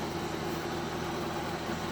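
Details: 1971 Chevrolet Chevelle barn find, straight six with three-speed column shift: quiet, even idle with a soft steady hum and no tapping or stumbling; runs cleanly.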